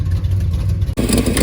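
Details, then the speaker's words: 1970 Plymouth Roadrunner 440 six-barrel V8, first run after 32 years parked: rough, loud idle with a hard puffing chuff on each firing pulse, then a rev blip; left exhaust leaking where it hits the torsion bar, otherwise the engine sounds pretty good. "anyway ignoring the horrible exhaust leak the engine sounds pretty good"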